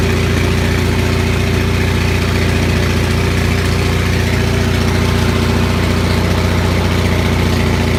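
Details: Onan 6500 (6.5 kW) gas commercial generator, missing its muffler, after its severely fouled spark plugs were cleaned: steady, even drone with a firm low thump and no obvious stumbles; running smoothly again, though voltage still jumps a bit.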